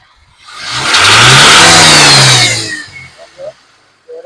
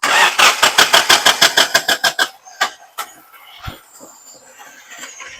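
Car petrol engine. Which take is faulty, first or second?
second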